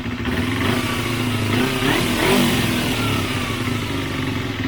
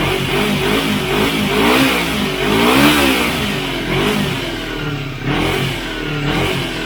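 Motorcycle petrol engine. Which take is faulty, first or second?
first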